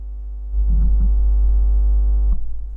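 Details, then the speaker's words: Deep, steady mains-type hum with a buzzy edge swelling for about two seconds then fading; microphone hum of unknown cause, louder when the mic is touched, intermittent, stops after handling. "Kurwa! Buczy! Buczy! Moi drodzy, buczy mi mikrofon. Nie wiem co się stało."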